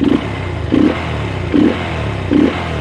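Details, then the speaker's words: Verza motorcycle running without an air filter: short throttle blips, revs falling back unevenly at low rpm; lean low-rpm stumble from too much air, which is fixable by adjustment at the cost of top end. "nah di RPM dikit ya kalau di gas gagang gini putaran ke Nah ini nih motornya itu ada turunnya"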